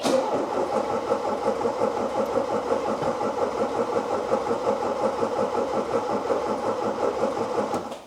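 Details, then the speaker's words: Fuel-injected car with the fuel pump primed: steady starter cranking near 170 rpm with no firing. It cranks but won't start; fuel starvation is suspected, though a spark problem is not ruled out. "nothing really it's not sounding promising I have a feeling that there's not a lot of fuel coming up there"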